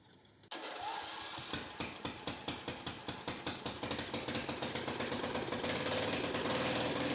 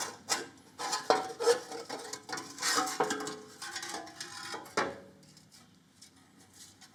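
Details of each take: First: Victa 10-42 / MTD 145-760A lawn tractor, ~50 years old, covers off, no muffler, carb dripping fuel: small single catches at once, sharp loud pops quickening to speed; runs fine. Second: About 50-year-old 1970s Victa 10-42 / MTD 145-760A lawn tractor engine turned slowly by hand: irregular dry scraping each time rust on the flywheel rubs the ignition coil; sanding suggested as fix.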